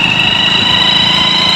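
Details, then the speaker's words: Hero HF Deluxe bike: piercing steady whistle rising above the revving single-cylinder engine when throttle is given, worn primary gears whining inside the engine; only the sound is affected, no engine damage; fix is replacing the primary gears. "Only पर sound खराब आएगा bike का जब हम जैसे ही total देंगे race देंगे तो ऐसे ही सीटीसी बजाने ग जाएगी इंजन के अंदर"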